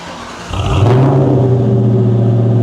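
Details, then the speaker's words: 1997 Ford Mustang GT V8, first start after fitting SLP Loudmouth exhaust with BBK X-pipe mids: cranks, catches within a second and settles into a deep, steady, even idle rumble with no misses or ticks, less loud than expected; normal start and idle. "Oh, that's not that bad. Everybody said it was going to be insanely loud. That's not bad at all. That sounds good."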